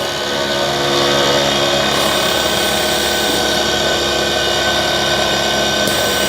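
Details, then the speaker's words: 12 V DC vehicle air conditioner compressor, newly fitted replacement, on final test drawing about 13–15 A: even, steady motor whir with a bright buzzing edge, no knocks or grinding; fitting vibration noted separately; compressor sucking, discharging and building pressure normally. "ये देखिए, ये section भी कर रहा है और साथ साथ डिस्चार्ज भी, प्रेशर भी बना रहा है। तो कंप्रेसर की आवाज़ आप सुन सकते हैं।"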